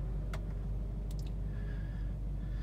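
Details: Volvo, after replacing the failed fuel pump electronic module (PEM) behind the inner fender that caused crank-no-start, AC off on an 80-degree day: low, soft, steady idle rumble with no stumble, tick or knock; idling strong, normal.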